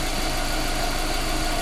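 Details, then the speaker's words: Subaru boxer engine after swap: steady, even idle with a smooth low rumble and no knock, tick or miss; running very well, no check-engine errors or misfire. "ВС работает работает очень хорошо никаких чеков ошибок троей"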